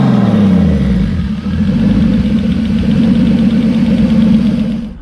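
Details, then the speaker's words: BMW E30 turbo on E85 at first start, warming up to temperature with good oil pressure: steady, even idle, smooth low hum, no knocks or misses; air-fuel ratios slightly lean (high), VE table later raised 2 points. Normal idle. "So the car is starting to get up to temperature. AFRs are a little high, but it's fine. It sounds good."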